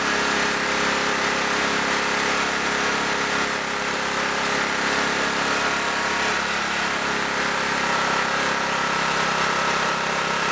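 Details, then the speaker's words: Auction generator at no load, restarted with choke to set a little over 60 cycles: fast, steady, high-pitched run with no dip; the idle stop screw is wound fully in, so speed won't turn down. "Idle stop screw is screwed all the way in too, so. That's why I couldn't turn it down anymore."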